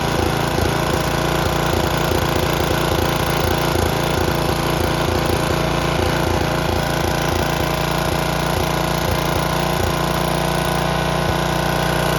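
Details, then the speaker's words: Snapper riding mower with a leaky aftermarket Chinese carburetor: uneven, lumpy chugging at three to four beats a second that stumbles irregularly, with black smoke. A stuck float is flooding the carburetor. "And then what you saw, it started flooding out, you know, like flooding out real bad, puffing black smoke, just running like garbage."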